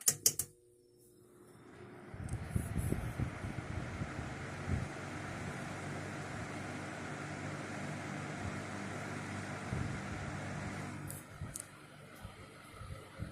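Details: Lasko Weather Shield box fan after cleaning and servicing, running on low speed: a soft, steady whoosh of air with a low, even motor hum and no rattle or scrape. It runs smoothly.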